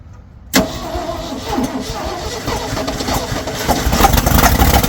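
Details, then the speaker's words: 1970 Ford F600 dump truck's old petrol V8, off the road for years, catches and runs rough and uneven only on fuel poured into the carburetor, with many exhaust leaks; fuel starvation. "Let's give her another little dose of fuel and see if we can't keep her running for another second."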